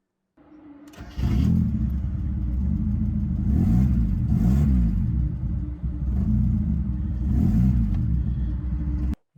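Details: 1990 Mazda Miata, exhaust detached from the car: loud, raw, unmuffled blatting engine note that swells with each throttle blip.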